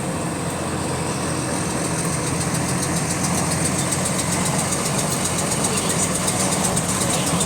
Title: Repetitive Clicking Noise In Sync With Engine Speed | GAL WVL358 On Bus Route 486 Part 2